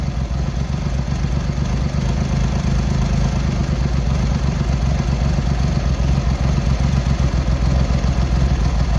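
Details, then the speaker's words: Triumph Hurricane X75 triple after carb rack rebuild and refit, pilot screws richened slightly and left carb adjustment corrected, not fully warmed up: deep, steady burbling idle at an even beat, smooth with no misses or hunting; normal idle, slightly rich off idle. "Still not warmed up yet, really. Getting there. That's better. So we're getting there."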